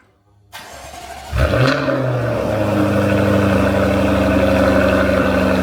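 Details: Jaguar F-Type cold start with active exhaust valves in open (loud) mode, held open for a few seconds until engine vacuum builds; starter cranks briefly, sharp rev flare, then loud steady fast idle: normal cold start.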